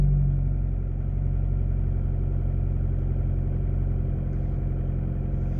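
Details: 2015 car after a Noco Genius 5 battery restore, idling after work while hooked to a scanner; IM readiness shows all green. Low, even idle rumble with a steady beat and no ticking, misses or surging.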